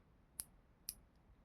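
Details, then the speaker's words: Micrometer (screw gauge) measuring a wire's diameter: three crisp, bright clicks about half a second apart as the ratchet slips once the wire is firmly held between anvil and spindle, which is the normal signal to stop tightening. "उस दाब से बचने के लिए जैसे आप इस रेचट को घुमाते जाएंगे, तो जैसे ये जो वस्तु है वो एनविल और स्पिंडल के बीच में जब पूरी तरह से फंस जाएगा, वैसे यह जो रेचट है वो आवाज़ करने लगता है।"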